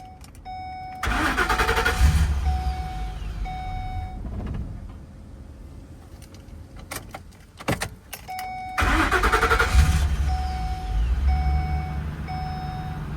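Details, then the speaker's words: 2011 Ford E150 4.6L, newish fuel pump, new relays and fuel pump driver module, shop suspects fuse box: two short cranks catch then fade and die, door chime between attempts; intermittent; engine starts then stalls. "It's on now whole time. I'll turn it off. Turn it on again. And it dies. So, tell me what's wrong."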